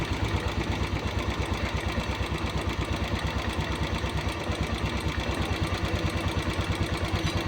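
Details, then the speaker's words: Royal Enfield Classic with morning cold-start problem, mixture screw being opened slowly from fully closed: single-cylinder thump about three beats a second, idle picking up and slightly over-revving; idle speed rising. Setting should be done on a warm engine. "तो दोस्तो over race होही हकी race बढ़ रही है और race बढ़ेगी और बढ़ाते जहां तक बढ़ती है रेस बढ़ाते इसकी मिक्चर से"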